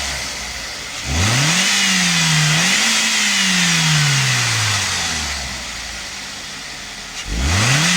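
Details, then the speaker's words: 2006 Toyota Corolla E12 1.4 VVT-i petrol, just after replacing the cracked multi-rib alternator belt; the engine starts and revs up and down twice with a clean climbing note and no squeal or chirp. Normal running, no belt squeal. "No tak jest wymienione i teraz odpalimy Zobaczymy czy piszczy czy nie"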